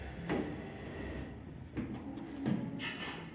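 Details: Elevator sliding door squeaks and scrapes while opening and closing because the plastic guide shoes are clamped too tight and rub the sill.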